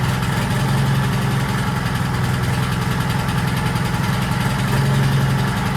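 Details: 1940s Allis Chalmers D5 or HD5 crawler with 2-stroke Detroit 271 diesel, first run in many years: steady, deep idle with even low drumming, no knocks. Motor sounds good; heavy smoke suspected from a problem injector.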